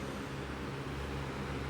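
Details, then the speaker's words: Lasko B20310 box fan, new with a newer square-type motor and a weaker capacitor giving slow startup, on speed 1: steady low hum with faint whine over airflow; normal motor. "It does happen to have a whine to it. So I like that it has a humming sound or a whine to it. So that's good."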